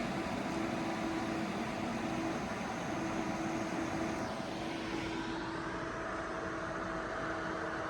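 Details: ACMEMATION 120mm PWM case fan (2700 max rpm) on a Corsair XR7 240mm radiator, one fan at full speed, 12 V actual, about a foot from a decibel meter; steady airy whoosh with faint constant hum, no ticking or rattle.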